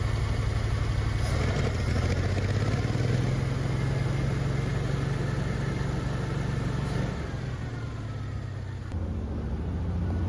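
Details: Old Champ forklift, unknown year, sat for years, after carburetor cleaning on temporary fuel tank plumbing; steady low idle note with even beat, no stumbles or misses; normal idle.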